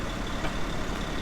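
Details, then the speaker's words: Murder Nova's rebuilt small-block Chevy, freshly installed after repair, with no oil leaks and 95 psi oil pressure when revved: low, steady idle with even beat and no knocks, ticks or misses; sounds healthy. "But as of right now, it seems happy. Sounds killer, which it sounded killer 2 weeks ago too."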